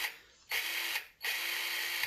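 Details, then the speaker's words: Zeeksaw 6-inch battery handheld chainsaw, bar and chain removed, sprocket spun by hand: two bursts of fine, fast, crisp metallic ratcheting with even mesh. It sounds like metal gears inside the gearbox, which is normal. "It almost sounds like it is metal gears."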